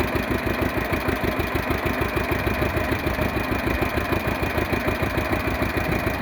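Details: 1948 John Deere B two-cylinder converted to propane with a 12 V GM distributor at about 15° advance, in neutral after priming and starting: even, lumpy putt at about 200 beats a minute, no misses or knocks; normal idle.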